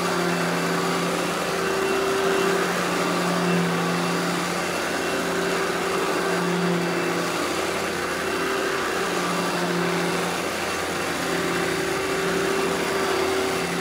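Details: Eureka The Boss Smart Vac upright vacuum, model 4870 type GZ, bought secondhand, belt replaced; switched on for a demo: smooth constant motor roar and steady hum, no rattles, faint background music; normal smooth running.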